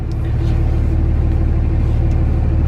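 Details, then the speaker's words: Dodge Cummins 2500 diesel idling while steering after the hydroboost was replaced. Deep, steady idle with no hissing from the steering or brakes. Steering now feels smoother, like power steering restored. "just like I got power-steering back or something that's crazy so no hair sing at all Wow"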